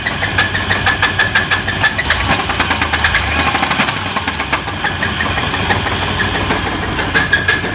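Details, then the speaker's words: 1994 Chevy S10 petrol engine idling with a sharp, rapid knock about three times a second over the rumble; owner is sure it is rod knock, though it could alternatively be an idler pulley; engine likely needs replacing. "now there's two things this could be when you hear it it could be a rod knock or it could be an idler pulley the way it sounds let me start it"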